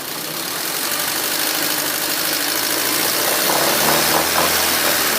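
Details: Warm 2004 Honda Civic LX (7th gen, 80 km stated) idling low and uneven with a lumpy, wavering beat; shakes and sometimes stalls in traffic, with low power and hesitation; owner suspects O2 sensor, IAC valve also considered, cause unconfirmed.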